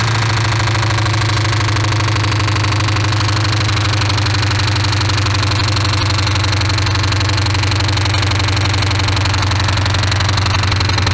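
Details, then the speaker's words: Ford Crown Victoria after a spark plug change and throttle body cleaning gives fast, uneven ticking and clatter over a steady hum. With the valve covers off and the engine spun over, no oil was reaching the top end: valvetrain oil starvation. "before he left we took off the valve covers on the Crown Vic and we spun it over and we figured out that it had no no oil going to the top of the motor"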